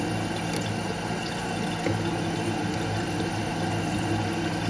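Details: Toilet tank refilling frequently on its own: steady hiss of trickling water with a low hum underneath. The flapper seal's top surface is not sealing, so water leaks past it.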